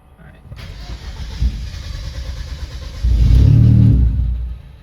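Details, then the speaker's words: Hyundai Genesis Coupe, first start on a new base map after re-gapping plugs to 0.013, 30 psi boost setup: engine catches, roars about a second and a half, then dies immediately without idling. "Immediate dead. Yeah. Maybe we're close."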